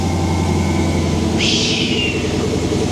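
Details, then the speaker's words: Hellcat Magnum with supercharger and factory-style Redeye intake, just fired up: steady idle with thin high supercharger whine and brief rushing intake suck; blower sounds healthy. "You can hear that thing just suck in the air in now. You can actually hear the supercharger. Listen to that thing sucking."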